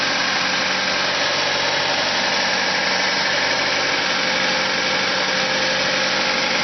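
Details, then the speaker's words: Car engine with an even, steady hum at a fairly fast idle, no knocking or hunting; it revs up at cold start and in P or N until shut off. Owner suspects a vacuum leak; carb cleaner spray test found none. "So I think there is a vacuum leak in anywhere. So today I want to check the vacuum leak."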